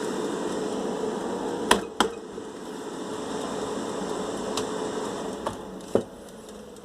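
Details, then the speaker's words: Air fryer that ran but made a loud strange noise, after reopening and tightening parts, closed up: steady, even fan hum with a few light clicks, no rattle or scraping; loud noise gone, running normally. "E ai ai a panela fechada foi tirado aquele barulhão né funcionando perfeitamente que é sendo normal enfim parece fechada com sucesso"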